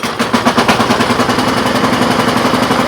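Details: Troy-Bilt snow blower, second use, started with a cold start after sitting two months: the small single-cylinder engine fires within one or two pulls and settles into a fast, even, crisp exhaust beat; running normally.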